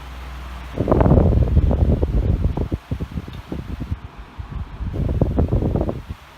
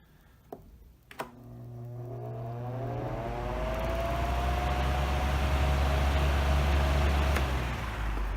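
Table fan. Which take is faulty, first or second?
first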